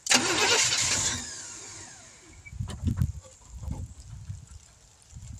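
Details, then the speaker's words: 1971 Chevrolet C10 that sat for decades, first start attempt with no distributor fitted, using a remote starter switch on what is thought to be the solenoid: short loud burst as it fires, then weak scattered puffs; it catches briefly but won't keep running. Cause unconfirmed, fuel pump suspected. "Okay, sounds like it wants to run. She's firin"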